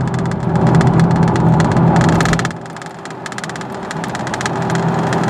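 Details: 2000 Chevy Blazer on a road test: loud low road drone with a throb about three times a second from badly cupped, lumpy tires, plus door panel rattle; cupped tire noise.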